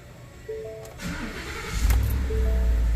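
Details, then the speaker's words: Ford F150 5.0 V8 with over 100,000 miles, just after an oil change with Valvoline Restore 5W30 and an FL820 filter, oil system primed by cranking in clear-flood mode: after a chime it catches quickly into a deep, even idle with no knocks or leaks. It is a healthy start. "how did that fl820 do it sounded great when it started up and we ain't got no leaks we're good to go"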